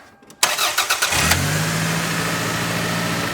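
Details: Engine start after tensioning a deliberately loosened drive belt via its adjusting bolt: brief cranking, then a smooth, even idle with no belt squeal, confirming the tension fix.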